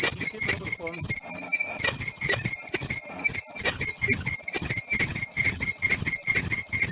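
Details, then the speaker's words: ZF 6HP21 LuK torque converter overhaul with a riveted lockup that had slipped heavily, housing being turned on a lathe before new honing: the cut breaks in and out with rough chattering over a steady high ring. The worn lockup face is uneven. "Слышно, да? Даже по звуку слышно, что неровно."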